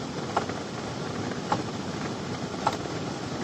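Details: 2005 Ford Explorer with no heat: with key on, a crisp tick repeats about every second in a quiet cabin; failing heater/AC blend door actuator, to be replaced.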